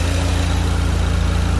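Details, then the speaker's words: 2016 Ford Focus RS with Mountune built 2.3 long block and Xtreme-DI high pressure fuel pump, mods under 7k miles, warm at operating temperature: steady idle with light fast ticking from direct injectors and HPFP, normal, nothing abnormal. "There's no abnormal sounds, anything like that. You just have a typical direct injection injector noise, the high pressure fuel pump. They're just notoriously loud."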